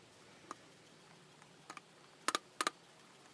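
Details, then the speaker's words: BMW M54/M52TU double-VANOS engine idle air control valve, removed and shaken by hand: light uneven plastic clicks as dirty sticking flap frees up; needs carb cleaner, else air/lean codes. "you can hear it clicking a little bit there it's freed up now we'll have to take carbo cleaner and spray that out it needs to Flow Free"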